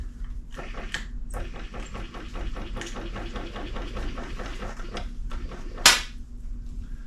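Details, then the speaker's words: 1935 Austin 7 after carburetor cleaning: slow, uneven clunks about three a second, then a sharp crack; starter struggles, fails to engage and barely turns the engine, then starts smoking. "Yeah, that wasn't good. Nothing happened. Hear it try to turn. Got to engage there. That's not good."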